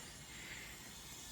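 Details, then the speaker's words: Subaru STI engine on a leak-down test of cylinder 4: a faint steady hiss of air escaping, probably past the intake valves. This confirms bent intake or exhaust valves; cylinder 2 held okay. "And if you listen really closely, you can probably hear air escaping through the valves, I think, on the intake. So, yep, that pretty much confirms to me that the valves are bent either on intake or exhaust, at least on cylinder 4."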